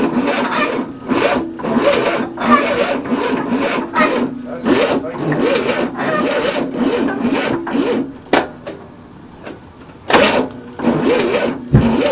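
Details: 1967 Cadillac unstarted for 30 years, with a new starter and the timing retarded: the starter cranks in repeated bursts, steady churning each time, but the engine never catches; a no-start, fuel smell suggests flooding, choke held open.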